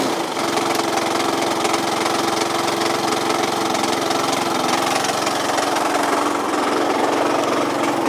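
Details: Yamaha Cygnus 125X FI (150) scooter that won't move, no drive to the wheel, belt possibly broken, FI lamp blinking at key-on: uneven, rattly engine knocking about three to four a second at idle, cause unknown.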